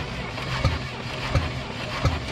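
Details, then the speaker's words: 1967 International Scout engine during compression test, number four cylinder building just shy of 120: slow cranking with sharp puff about every 0.7 seconds blowing back through carburetor; suspected sticking intake valve, puffing later quieted. "You hear it building compression or it's building some. But listen here. Is that coming through the carburetor? You dang right it is."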